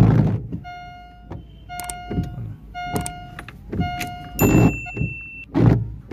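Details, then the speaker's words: Car windshield wipers on glass: sharp tonal squeaks about once a second with thumps at each sweep end; wiper blade rubber chattering and squeaking, said to be restorable on blades bought 2–3 months ago. "shuni do'stlar, skripyachiy dvornik deydi. Kimni dvornigi shunaqa tarzda ishlasa va buni qanday oldini olishni sizlarga o'rgataman do'stlar."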